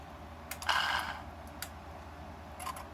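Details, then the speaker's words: Mercedes S-class throttle body (ASR) on bench, run from working gas module, before repair: short electric whir between light clicks, no plate movement. Actuator motor spins but faulty clutch coil never engages. "so when we activate it we can hear the motor spin"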